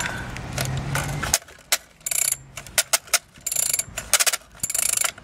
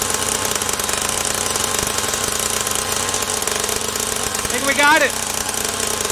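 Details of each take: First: SYX Moto Holeshot 50cc with a broken pull start, being pulled: harsh uneven ratcheting clatter in short bursts instead of a smooth whir; assist-type recoil starter doesn't sound right, cause unconfirmed. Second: SYX Moto Holeshot 50cc two-stroke, after repairs incl. carburettor and idle-screw adjustment: fast steady buzz holding an even note with no stumbles; runs and idles cleanly.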